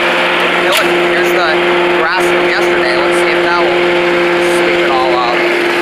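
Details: Old Rover Turbothrust mower built in Brisbane, Australia, no battery fitted, cutting grass into the bagger: a steady, even drone holding speed, no surging or misfires, with light rustle from the deck. Normal running under load; owner thinks the brake shoe may need replacing.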